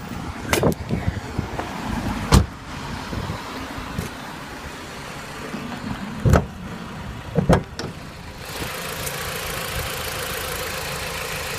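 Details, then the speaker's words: Jeep Compass idling after the alternator was replaced, which was the cause of the earlier noise: low even engine hum with a few clicks, no whine or rattle left; quiet, healthy. "no more noise as you can see very silent"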